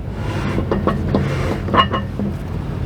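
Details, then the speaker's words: Vintage RV raised with the wheels spun, after the owner reported a knocking from the brakes; each turn gives irregular scraping clunks and knocks instead of a free whir. The cause is a broken brake drum. "I don't know what on earth is making all that noise. That's pretty crazy."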